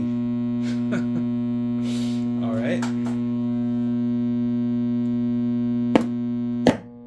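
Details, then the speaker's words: Dynakit Stereo 70 tube amplifier, suspected to need new capacitors, mono/stereo switch broken: loud steady low buzz with a rich overtone ladder that never changes, then cuts off sharply, moving between channels; hum fault, cause not yet found. "When I plugged it in for the first time, that buzz was coming out of the speaker and it wouldn't go away."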